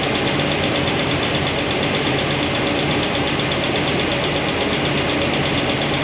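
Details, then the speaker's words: Valve covers off at idle on a new hydraulic roller cam and lifter combo: light, rapid tick from number 7 exhaust comes right back after retightening the poly locks. That lifter shows little oil flow; the noise won't adjust out. "And it comes right back. Comes right back. Use a screwdriver. All a little noisy, not too bad."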